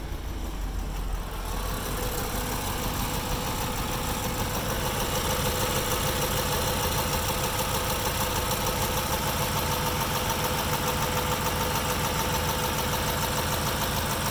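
Engine idles with an uneven, lumpy beat at about three pulses a second instead of a smooth hum; rough idle, cause not clear.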